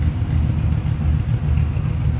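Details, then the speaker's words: 1950 Ford Custom Deluxe Club Coupe flathead V8, heard from the rear at the exhaust with the idle brought down: deep, even low burble with a steady beat and no ticks or misses; normal healthy idle exhaust rumble. "I'm going to slip around to the back of it too so you can hear what it sounds like sitting there rumble a little bit right now. Like I said, with the idle down."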